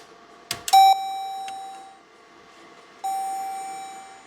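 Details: 2014 Jeep Grand Cherokee with a suspected CAN network fault (random wipers, headlights, dash warning lights, sometimes no crank). Two clear single-pitched chimes about two seconds apart after a click, in a quiet cab. Warning chimes; cause suspected, not confirmed.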